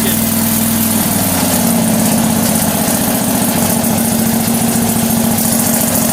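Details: Struck Magnatrac MT2000 on its first start after fitting a new Predator 670 22 hp twin-cylinder engine: even, steady V-twin beat with no misses or knocks and a constant pitch throughout; the engine runs smoothly and healthily.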